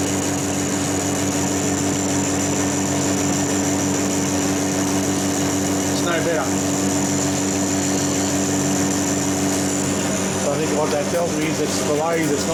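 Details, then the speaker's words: Lathe facing the back of a differential crown wheel with a smaller-radius tool: steady buzzing hum with a rough pulsing ring under the machine drone; tool chattering, worse than on the previous piece. "this one's chattering worse than the other one I'll see how it go"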